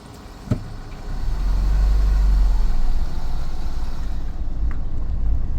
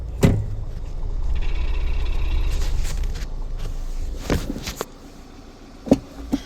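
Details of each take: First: Mini in reverse gear on private land, while investigating a gearbox rattle previously blamed on the flywheel; steady low engine rumble with no rattle or knocking while rolling in reverse: gearbox quiet in reverse. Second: Mini pulling away in first gear: loose, uneven rattle inside the gearbox over low engine drone; rattle in all forward gears but none in reverse, so flywheel now doubted; cause not yet found.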